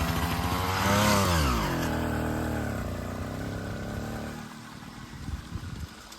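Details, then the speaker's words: Small two-stroke motorized bicycle after draining bad gas and refilling with fresh premix: crisp buzzing revs climbing then easing off smoothly, no misfires or stumbles; now running healthy. "Okay, got some new fuel in it, and it runs amazing now."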